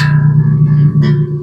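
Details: Washburn AN X5 five-string bass that gave no sound, after resoldering the output jack wires: clean plucked notes ring out and sustain with no crackle or dropout, so the output now works. The pots are still dirty.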